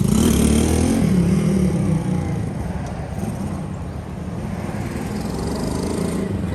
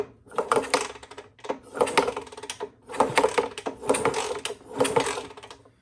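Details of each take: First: Custom Honda S65 with a Lifan 140cc four-stroke engine swap, ridden in a parking lot after years parked: smooth, even thrum rising and falling with throttle, no knocks or misses; runs and rides nice, though owner feels it pulls only like a 125. Normal running. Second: Honda S65 custom with a 140cc four-stroke Lifan engine, long stored: five kicks about a second apart, ratcheting clatter, no firing; cranks but won't start, no spark, pickup and a loose ground wire suspected, original coil about to be tried.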